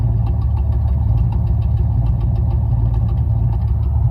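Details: 1994 LT1 Camaro V8 idling with a deep lumpy beat and uneven stumble, a dead cylinder from a burnt-through spark plug wire; misfire, fixed by rerouting the plug wires.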